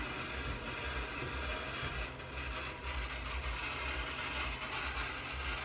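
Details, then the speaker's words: Blackmagic ATEM 1 M/E switcher into SDI to HDMI Micro Converter: steady hiss with choppy low buzz pulsing about twice a second through speakers; later traced to ATEM firmware, fixed by updating v6.7 to v6.9. "yeah the problem is back I'm going to turn it down a little bit it's kind of loud I don't want to damage the speakers"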